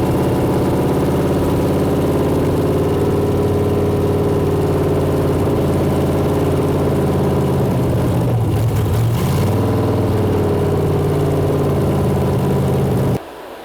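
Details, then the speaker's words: Freshly built junkyard Gen 4 LS truck V8 (6.0 or 5.3) with upgraded cam and valvetrain on Holley EFI with no IAC, first start; strong even V8 burble with throttle blips and clean return, runs smooth and healthy; about 30 oil pressure noted. "That sounds like a car, man. Woo!"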